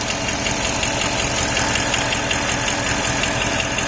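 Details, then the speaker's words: Porsche Cayenne Turbo at idle with the drive belt removed: steady even patter, constant whine gone; pulleys, water pump, alternator pulley and PDCC pump now being checked as the source. "So the whining noise has stopped already. So there's no more whining noise now."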